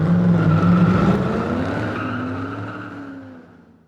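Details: 2003 Nissan Maxima GLE 3.5 after a partial engine rebuild, first start: the high fast idle drops smoothly to a lower even idle with no knocking or rattles, while new exhaust pipe paper burns off with slight smoke. Normal idle.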